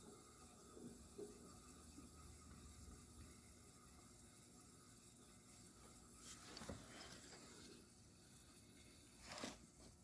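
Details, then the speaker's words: Climatrol window air conditioner running with its fan on. A soft liquid trickle and gurgle under a faint fan hum: normal refrigerant flow. "this unit doesn't have well I about to say it doesn't have much of a refrigerant sound but you can hear it now"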